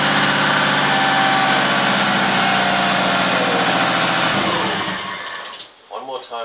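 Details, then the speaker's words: Subaru fitted with a replacement starter motor (previous one failed after its housing twisted and shorted internally): quick, energetic cranking with no labouring, then a steady engine note before shutdown; normal healthy cranking and start. "if you heard the other one before it actually would actually sound like as if it was just managing to turn over whereas that that was just like real energetic"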